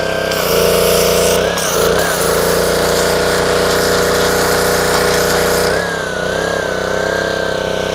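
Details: Dumpster-rescued Ryobi 190cc Honda-engine pressure washer, first start after fitting a new 2800-3000 PSI vertical pump: even, steady drone with firm mid tone, briefly dipping and recovering under load; smooth, healthy running.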